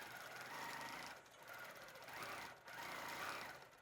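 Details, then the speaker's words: Baby Lock Regalia long arm quilting machine in cruise mode, needle keeps moving up and down when stopped: fast even needle chatter with steady stitching rhythm easing and picking up with hand speed; normal smooth running. "But there's also cruise mode where I'm going to speed this up a little bit because I tend to be a little faster. Um, where whenever I stop the needle's going to move up and down."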